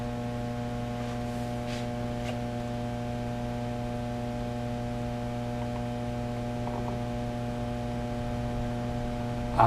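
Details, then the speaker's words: Fender Blues Deluxe tube amp before repair: a steady low buzz with an overtone ladder. The power supply is modulating the signal, giving a tremolo-like, out-of-tune sound and low volume; high voltage reads 380 V versus about 440 expected. Failing filter capacitors suspected. "so what happens is the uh Power suppli is modulating stuff over top of the signal so yes it did sound like it have tremolo on it also seems to have low volume"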